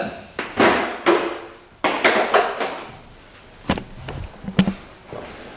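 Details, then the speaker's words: 1982 Yamaha YZ125 two-stroke dirt bike, all original, kicked over after clutch reassembly with almost no compression (about 2 psi) and no spark: hollow clattering knock each kick, barely any compression puff; bad piston knock, badly fitting piston slapping in bore. "so I think the guy 100% took out the clutch just so that I couldn't kick it over cuz this sounds absolutely horrible I mean the Piston knock in there is just horrible that is really bad"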